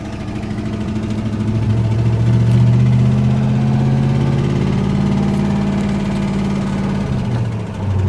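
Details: 302 V8 (5.0) Ford Ranger truck idling with a deep, steady rod knock over the exhaust note, the worst it has knocked; the engine is being nursed along.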